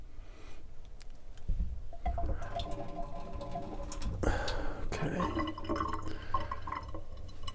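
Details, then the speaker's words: Watts 909 1-inch RP backflow assembly from a sprinkler system: steady splashing gush with irregular drips and surges from the relief valve; still dumping. "see if we can get it to stop leaking out of the relief valve if we have a greater flow going through it than what's coming out of the relief out"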